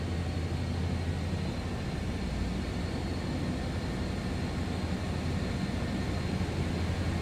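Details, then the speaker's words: 1994 Chevrolet Silverado 1500, 305 V8: steady even stock-sounding idle with no knocks, ticks or misses; runs smooth. "Runs smooth, sounds good, no surprises underneath the hood."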